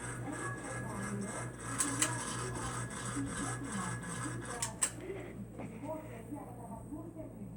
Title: Encon ceiling fan making a buzzing noise how do I repair it please